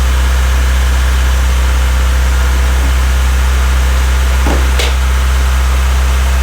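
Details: Honda Civic freshly rebuilt D16Y8 engine, first start-up, idling before any revs: loud, steady low hum at constant idle with no rhythmic knocking; runs nice and smooth. Normal idle.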